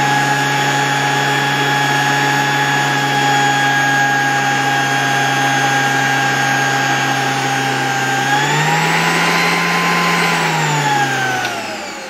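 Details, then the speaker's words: 1987 Zelmer 200.8 vacuum cleaner, replacement type 300 motor mounted in the housing, which was raised so it can draw air from below: smooth, steady high whine rising slightly, then winding down, blowing air well. Normal running. "i teraz od razu bardzo fajnie czuć tutaj jak dmucha powietrze"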